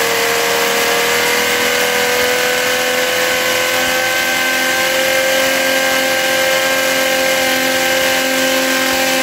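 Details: Philtech V12 model aircraft engine, 108 cc liquid-cooled two-stroke glow engine with miniature radiator, warmed up: high smooth buzz rising slightly then settling evenly, no misses or surging; normal idle.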